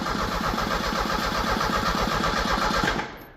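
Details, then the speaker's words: 1986 Merkur XR4Ti 2.3 L Ford turbo donor engine, test-fired with starting fluid (no coolant, fuel line off). Starter churns evenly about four times a second but never catches: cranks, no start. "all right we're going to try again fuel yep feel oh too much fuel too much fuel we're spraying"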